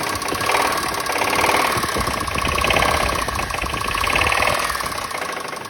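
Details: Toyota Mark 2 idling with a fast, uneven tapping of about three or four knocks a second over the idle; a clear engine knock whose source is not yet pinned down.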